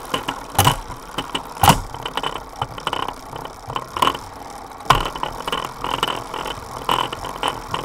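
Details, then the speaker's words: Sunrace 23T cassette on a Directo XR trainer, Dura Ace rear derailleur, Ultegra chain under one season old, straight hanger: rough grinding with sharp scraping bursts only on the 23-tooth cog. Directo resolved the problem. "The noise is only on gear number 23 tooth."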